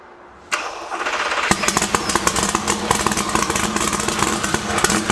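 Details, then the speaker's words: Texas Speed 1500 hp LS V8 in a Huracan project on Haltech ECU, first start, timing checked and fuel trimmed slightly: uneven lumpy idle with irregular pops and stumbles; timing about 5° off, traced to a setup error Haltech pointed out. "Oui, il fonctionne avec un décalage d'environ 5°gr. Absolument horrible à regarder."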